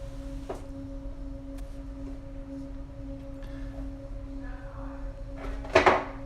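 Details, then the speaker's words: Home air vent giving a constant, pure high-pitched hum over soft airflow noise while air is blowing; the vent vibrates and the hum stops when pressed by hand, with resonance suspected but not confirmed. "I have a constant and like high-pitched hum when the air is blowing out of this and it was a vent up here"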